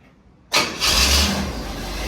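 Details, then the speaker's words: 1968 Pontiac Firebird, restored after decades sitting, not run all winter, in park; restart after moving battery cables that the fan was touching (ringing); quick crank, catches to steady cold fast idle, no ringing or rubbing; normal start and idle. "Yeah, much better. I'd let it warm up for a minute and it'll come off the fast idle. But it works."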